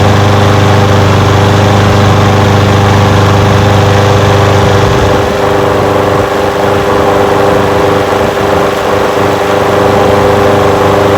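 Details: Old curbside Craftsman push mower with a Briggs engine, first run after revival: it settles into a steady, even idle on its own without surging or dying. It smokes a little. Windy outdoors. Normal idle.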